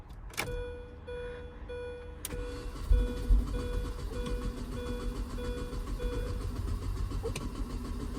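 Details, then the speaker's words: 2003 Mini Cooper S R53 after fuel pump and fuel filter replacement, pumped to fill the filter; dash chime pulses over an uneven low cranking churn about two per second that never catches. Battery low, slow crank, no start. "battery is a little bit low I may need my jump starter yeah that's be dead right"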